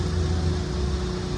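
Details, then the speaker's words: Farm tractor loader: steady drone with a thin, high squeak on top that holds its pitch, from a failed bearing on the driveline. "this loader you'll hear it it really squeaks there's a bearing out on the drive line we don't usually use this"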